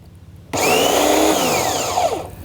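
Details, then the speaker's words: Nilfisk C110 electric pressure washer starting with water and power connected: motor kicks on sharply and whirs steadily as water fills the pump and pressure builds, normal pump priming. "And of course, the first thing that we need to do, if you listen closely, you'll hear the water going into the pump and the machine getting ready to"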